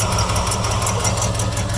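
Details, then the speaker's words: 1972 Chevrolet C20 V8 starting for the first time in about 18–20 years, using an added fuel pump and fuel line; it settles into a low, throaty idle with a steady lope and no knocks or rattles. "wow oh my gosh it's running oh my gosh I wish you could see my face right now I am beaming anyways um this is amazing this thing literally has not ran for 20 years almost"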